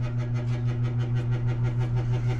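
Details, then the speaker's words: Noise at a school entrance around 10pm: steady low hum pulsing about seven times a second, unchanging; suspected to come from the ballast of an overhead light, not confirmed. "So, I'm still a little puzzled where this sound is coming from. Somebody suggested that it could be a ballast"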